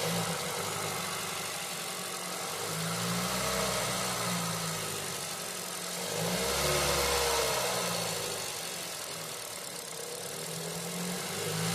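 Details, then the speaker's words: 2019 Ford Escape 2.5L four-cylinder idling just after new air filter and Ford spark plugs fitted: steady, even hum that swells gently and settles, no misses or knocks; runs smooth, normal idle. "All right, sounds pretty good, I test seems to be running smooth."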